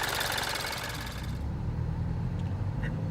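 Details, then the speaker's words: 2013 Mini Cooper S Coupe four-cylinder at idle during pre-purchase inspection: steady idle with light, quick injector tick, no abnormal noise from lower or upper engine; healthy. "I can hear the injectors and on the video the engine noises gonna come out a little more amplified or it sounds louder than new bacterias"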